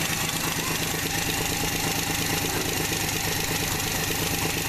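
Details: Pre-1981 Chrysler Slant Six, warm, idling after valve lash adjustment (.010 intake, .020 exhaust, hot): light even valve tick, normal for solid lifters.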